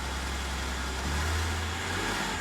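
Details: Mercedes after repair of an acceleration noise traced to a fuel line touching an aluminum plate by the high-pressure fuel pump, apparently caused by earlier repair work: engine now pulls up smoothly with a low even drone, no rattles or knocks under throttle.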